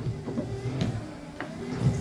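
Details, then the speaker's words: XW Ford Fairmont wiper motor hums low as blades sweep with a few soft judders and clunks each stroke; wiper chatter reduced but still present after wiper linkage replacement. "still cheddar but it's nowhere near as bad as what it was"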